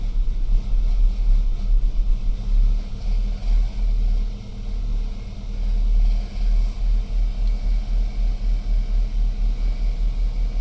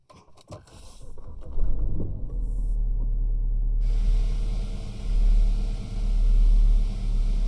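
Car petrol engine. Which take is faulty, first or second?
second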